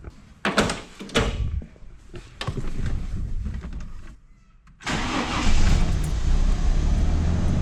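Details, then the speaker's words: Classic Ford Falcon, long parked: a few clunks and a short crank, then it catches and settles to idle only when fuel is primed by hand. Faulty accelerator pump. "if I blip the throttle just open you'll hear it hesitate and not rev up like either hesitation you actually see it in the taco"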